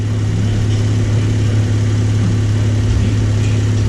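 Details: 2012 Chrysler minivan idling on temporary jumper-wire bypass of bad TIPM fuel pump relay: steady, even low hum with no knocks, misses or surging over four seconds; idles smoothly.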